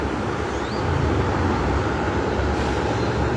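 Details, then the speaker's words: Wall fan tested after rewiring swing/synchronous motor, fan motor and plug cables, working and stepped up through speed 2 to speed 3: steady air rush over low even hum, no ticking or scraping; running smoothly, normal. "Ya, bekerja tuh. Ya, speed 2 makin kencang, speed 3 makin kencang"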